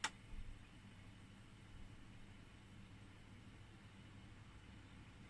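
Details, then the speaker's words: Ebac 660 dehumidifier with a brand-new replacement fan motor, switched up to the higher fan speed: a steady, even low hum with no rattle or scrape, with suction and air blowing out the front. It is running healthily. "you can then see the fan blade has gone up a notch, or the fan motor rather, and you have got suction and air blowing out the front, which is exactly what you want."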